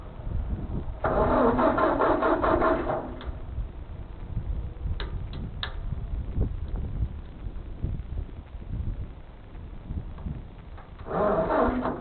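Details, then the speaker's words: Ford 2N tractor, unused for years, fuel system cleaned, cranked on a new jump pack: starter grinds in short bursts and the engine turns evenly but never catches. Cranks, no start; owner suspects the points in the front-mount distributor. "I'm going to take a shot to say that I think that I need to go ahead and clean the well I think we give it a try um like I said the points on these are always the issue"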